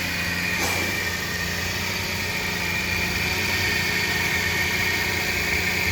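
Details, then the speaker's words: 2007 Hyundai Veracruz engine after startup: a steady rough growl with a high whirring tone from a worn idler pulley bearing. Fixed by replacing the idler pulley, after the serpentine belt had been replaced and the radiator checked for low coolant. "so it looks like the problem was the idler pulley um making some type of growling noise"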